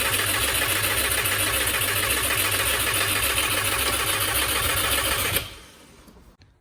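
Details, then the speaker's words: Subaru WRX with a swapped-in JDM long block running on E85, first crank after the swap: even starter cranking at about three and a half beats a second for five seconds, never firing; cranks, no start. "it's not starting here what what's going on there"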